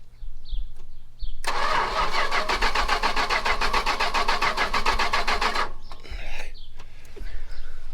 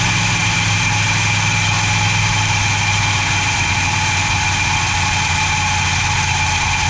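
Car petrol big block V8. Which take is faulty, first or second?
first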